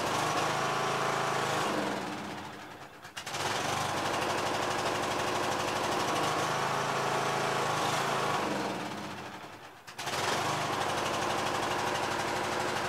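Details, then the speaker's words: Yard Machines MTD tractor with 20HP Briggs engine and CVT, after a magneto bypass for no spark, started with a battery charger: chugs about three beats a second, sags and nearly dies twice; runs only on choke. "not running unless it's off a choke I mean on show alright it's spinning but it ain't coming out"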